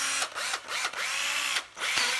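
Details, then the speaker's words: Cordless drill, only its hook is broken: several short trigger pulls, each a smooth even high whine rising and falling with speed, no grinding or rattle; very quiet, healthy motor. "này nó chỉ nó chỉ bị gãi cái phần dỗ cái móc đó thôi máy rất là êm nhá"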